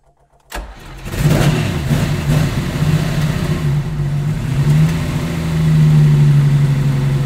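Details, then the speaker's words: Stone-cold Lamborghini Miura V12, effectively no choke, started with ignition on and six throttle stabs, taking two or three attempts; brief cranking, then it catches and settles into a steady, slightly raised fast idle, healthy cold start. "okay it took two or three bites of the cherry which can happen with these engines because they say they effectively have no choke on them but um engine bursts into life"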